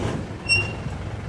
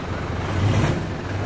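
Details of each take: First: Mitsubishi Montero road test after rear brake pad replacement: brief high-pitched squeal over low road rumble during braking, still from both rear sides. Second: Mitsubishi Montero after rear brake pad replacement, stopping sharply forward: low engine rumble with no squeal or grinding from the rear brakes, noise gone.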